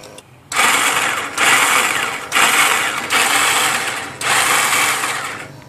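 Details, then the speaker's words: 2001 Yamaha V-Star 1100 Classic with about 6,000 miles: fuel pump runs, then repeated bursts of high free-spinning starter whir with no engine turnover; the starter clutch slips and does not engage the engine. "that was a fuel pump you heard you can hear the starter is just spinning"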